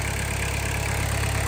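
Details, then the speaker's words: 1991 VW Jetta GL diesel after new timing belt, water pump, filters and oil change, about 10 minutes running at normal temperature: steady, even low diesel clatter at idle with no misses or knocks; healthy smooth idle. "it's been running for about 10 minutes now uh yeah no sounds good sounds just like I did before"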